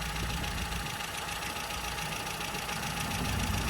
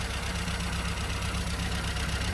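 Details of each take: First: Mini with A+ 998 engine, HS4 carb, after fitting new correct-heat-range spark plugs and leaning the mixture: steady even idle on all cylinders, no misfire; timing 8° idle, 32° full advance. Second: Mini Club with A+ 998 engine, half-inch HS4 carburettor, high-power 8-ohm coil and Powerspark distributor: uneven, lumpy idle with recurring misfire; over-rich mixture and wrong heat-range spark plugs.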